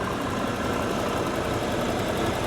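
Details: 1987 Pontiac Trans Am GTA, original low-mileage time-capsule car, warm idle heard during an under-hood safety check: smooth, even, steady idle with no ticking or knocking. Healthy engine, no burnt-oil smell or leaks; only a cracked radiator core support upper mount.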